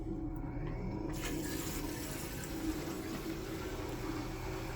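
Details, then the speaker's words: SS Brewtech home brewery pump, which seems to soft-start and ramp up, pumping from a bottom-drain kettle: faint steady low hum under flowing water, no rattle or cavitation; sealed housing, very quiet for its performance, running normally. "This one's pretty quiet. It's got a sealed housing, unlike the other Riptide and Spike Flow that have an open fan back."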